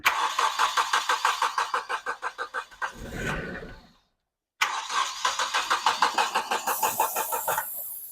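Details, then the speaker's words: 1995 Nissan Pulsar N15 cranks in two long even bouts, about three beats a second, never catching; gauge reads no fuel despite 3/4 tank plus 10 litres added; fuel problem, owner suspects failed fuel pump. "We definitely know it's a fuel problem. I'm going to guess fuel pump cuz I swear there was a 3/4 of a tank of fuel in that thing and I just put another 10 lers in it and it's still saying no."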